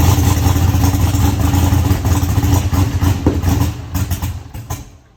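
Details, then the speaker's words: Eagle Talon engine just converted from Pro EFI to Holley and rewired, just started: uneven lumpy firing about four pulses a second that fades and dies, seemingly running on one side only and throwing fuel out of that side; cause not yet found. "yeah it's got something going on that's running on one side it's not full"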